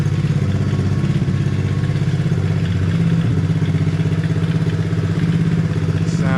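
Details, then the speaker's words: Hawk 110cc ATV, choke off and idle screw lowered; small single putters at an even, steady idle of two to three pulses a second with no misses, creeping slightly, now idles fine. "It creep a little bit, but let's see."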